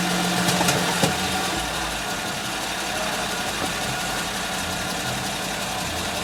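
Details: Suzuki Grand Vitara engine at steady idle with light, fairly even ticking about three per second; clicking noise whose source is not yet pinned down.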